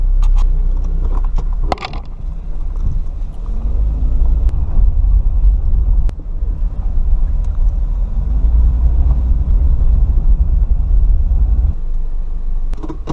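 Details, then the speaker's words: Car on a test drive after fixing an exhaust leak (ticking) by resealing the exhaust flanges with a repair kit, torqued to 42 lb-ft: smooth low rumble under road noise, no puffing or ticking; exhaust sealed and normal. "alright now let's see if that worked hmm sounds better"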